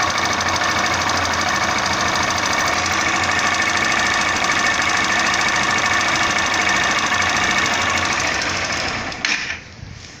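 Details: 2017 Honda Bros 160 ESDD motorcycle at 7757 km, rear suspension/shock noise louder in late afternoon and evening; fast, even rattling ticks about three per second over running engine, dying away; source unfound.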